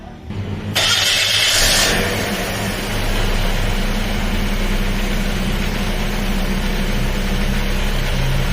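Starter whir, then the engine catches and settles into a steady even idle with no belt squeal heard.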